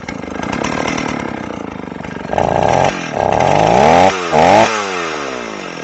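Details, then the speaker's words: Old Stihl 038 AV chainsaw after a carburetor swap, mixture screws out about 1¼ turns, not yet fully hot, cutting wood: revs saw unevenly and burble, pitch sagging and hunting. Now running really rich. "It seems like it it wasn't necessarily lean before, but now it's it's really fat."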